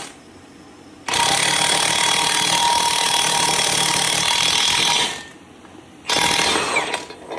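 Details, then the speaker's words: 2011 Camaro SS differential during 3.91 ring and pinion swap: impact wrench rattles steadily about four seconds then a short burst, tempo changing to a solid hit as the part seats; races seated, normal. "And once you hear it change tempo to like a really solid hit, that's how you know she ain't moving no more."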